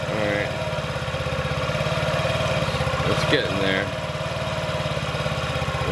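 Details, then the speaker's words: 2017 Honda Ruckus NPS50 50cc four-stroke scooter, idle being adjusted with an inductive tachometer at about 1,600–1,800 rpm: slow, uneven single-cylinder putter that sounds about to drop out. Idle is set too low and the engine is near stalling. "just under 2 000. sounds like it's about to drop out 17 18."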